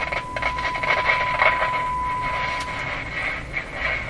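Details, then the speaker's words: Philco 37-3610A tube radio during AM broadcast band alignment: a steady tone breaks into crackly, scratchy bursts as the adjustment is turned, pointing to a noisy trimmer contact. "Okay, can still hear it. So I'll discover which way to turn that. Pretty sure I know which way. Ooh, this is scratchy."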